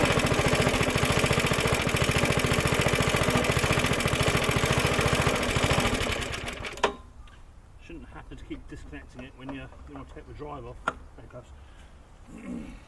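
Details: Suffolk Super Punch 17" cylinder mower, c.70 years old, SIF 75cc cast-iron single, after carb and points clean, drive engaged: quick even putter about 214 beats a minute, no misses or knocks, clean shutdown; healthy running.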